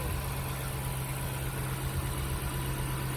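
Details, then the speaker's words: 39k-mile Dodge Charger SRT8, first start in over 2 years, got running with starting fluid and Liquid Moly added: steady deep idle, even rumble, no knocking or ticking underneath; a vacuum line off the intake leaks; engine sounds healthy. "Running. Sounds good. Got it running with some starting fluid."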